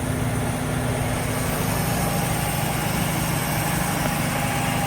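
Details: AMC Hornet manual (three-pedal) car, parked for years, idling: a steady, even, smooth low rumble with no knocks or misses. Normal idle; the engine sounds healthy.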